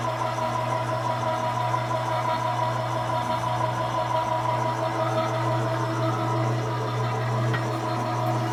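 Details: 1970 Harley-Davidson XLCH Ironhead Sportster, kickstart rigid bobber build, after a blue object was found in the carb float bowl and oil added: lumpy, uneven V-twin beat with a steady low drone, no knocking or clatter; runs clean and healthy.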